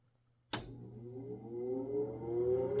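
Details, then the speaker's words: Whole-house humidifier solenoid valve energized by shorting the humidistat wires during troubleshooting: sharp click as the coil energizes, then steady low hum with water hiss building as water flows; normal solenoid valve operation. "See, it's working now. And then to prove you that it's working and solenoid is getting triggered. You heard it, right?"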